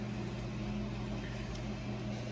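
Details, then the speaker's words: Restored 1964 3M Wollensak Model 524 reel-to-reel after new belt and motor spindle grip fix for slipping at speeds other than 7.5 ips; low steady motor hum, no slipping, flutter or scraping, transport running normally. "and we'll try experimenting with that and uh mechanically everything works as it should"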